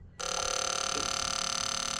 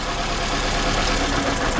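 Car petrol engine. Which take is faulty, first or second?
second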